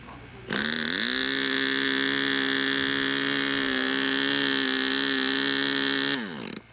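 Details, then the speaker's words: Model aircraft glow engine at a flying meet: starter whines at a steady pitch for about five seconds with no firing pops; the engine never catches because the glow plug is dead. "die Kerze ist kaputt"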